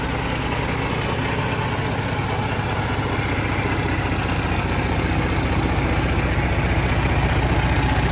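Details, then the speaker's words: FPT Cursor 16 1000hp marine engine, inline six 15.9L common-rail diesel, first run in Australia, running on test: deep, even, smooth diesel rumble holding steady; described as very quiet for a 16 litre motor, normal running. "they're a very quiet engine for a 16 litre motor"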